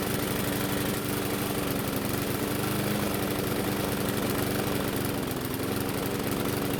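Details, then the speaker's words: Bolens mower single-cylinder running with the air filter off: low, wavering, labored speed that won't settle. The governor spring anchor and throttle need more adjusting, and the carb diaphragm is to be inspected next. "But before we do that, we need to find out why this engine is running so poorly."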